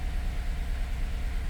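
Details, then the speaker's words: 2014 Chevrolet Silverado with a crank-no-start, its fuel system suspected contaminated with DEF (crystals found), just after finally starting: a low, lumpy, unsteady idle. The engine is running rough. "running a bit rough but I got it going"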